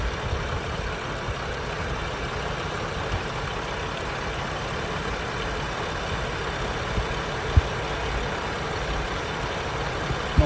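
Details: 2007 Ford Freestar 4.2 L at normal idle after the idle air control valve was replaced. A steady, even low rumble with no more gurgling or popping from the air box; the old IAC valve had caused it.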